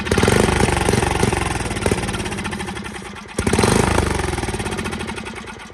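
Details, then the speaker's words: Free Facebook Marketplace Craftsman riding mower with rodent-fouled wiring (owner suspects exposed wires): small single-cylinder engine firing steadily at about four beats a second, with a brief dip and recovery; normal running. "It's alive."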